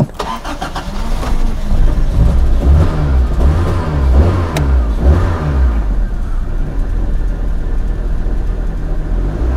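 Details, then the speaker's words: 1994 Toyota Celica four-cylinder petrol engine, single ignition coil replaced two years ago: starts and idles roughly with an uneven stumbling beat, a severe misfire on cylinder two from weak, intermittent spark. "Well, hopefully the camera picked up the misfiring. It's pretty severe."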